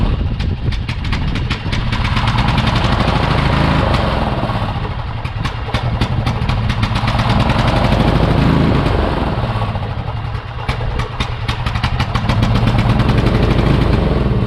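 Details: Murray Select riding mower, 13.5 hp Briggs & Stratton single in neutral, smoky: thumps unevenly, speed surging and sagging every few seconds; crankcase possibly overfull on oil from fuel flooding, or possibly severe surging; carb cleaning planned first.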